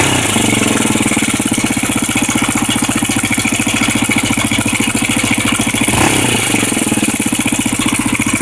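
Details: Honda NX 250 at idle: loud, busy idle with steady metallic rattle on every firing pulse; engine rattle, cause undetermined.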